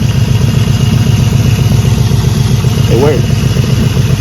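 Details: 2003 Infiniti M45, over 258k miles, after installing a JS high-output 250-390 amp alternator to replace a failing one (flashing battery and brake lights, dropping idle rpm): steady even idle thrum, no knocks or squeals; warning lights gone. Normal idle.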